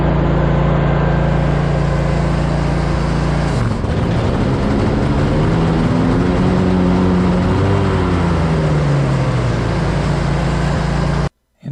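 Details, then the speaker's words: Grasshopper zero-turn mower: loud engine drone, then rough, wavering tones rising and falling under load as the blades engage; something is seriously wrong with the PTO. The owner suspects a dead cell in the defective battery isn't supplying enough electricity to the PTO. "At this point in my vlog, I'm finding out there's something seriously wrong with the PTO. Sounds like it's coming all the pieces."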